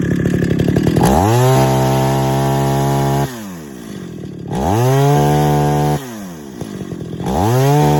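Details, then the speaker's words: 50-year-old chainsaw at first start and tune after a full rebuild: three blips to high rev and back to idle with a light tinny rattle on the exhaust; suspected baffle inside the muffler. "could you hear that the muffler you can hear that rattle that tinging sound that's the baffle i believe inside the muffler"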